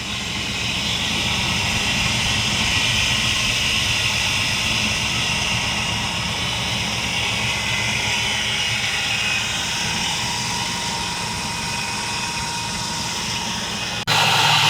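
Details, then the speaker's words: Cheaply bought 2002 Chevy S10 Blazer V6 running at first start, still running with the battery cables removed (alternator good): steady, even hum with no misses, knocks or ticks; normal healthy idle. "we'll let this thing run a little bit more sounding good sounding good"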